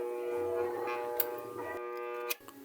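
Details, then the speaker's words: Kawasaki TCF1 submersible water pump, 1 hp, 220 V AC single-phase motor, plugged in before repair for a loud humming complaint: a loud, steady electrical buzz with no run-up, the motor stalled on a seized bearing. "Yan guys ah isaksak lang natin para marinig niyo yan guys ah kung maririnig niyo ang lakas ng ubong."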